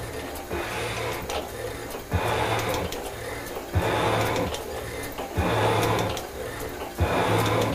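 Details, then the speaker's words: Shaper cutting cast iron block to width with adjusted tool bits, after roughly 0.050 in depth of cut, feed set at three: steady rhythmic strokes about every 1.5 seconds, smooth even cuts, handling the heavier feed fine; normal cutting. "I'm gonna bring it in my hand here that sounds pretty good donut let's see if it'll take the feed"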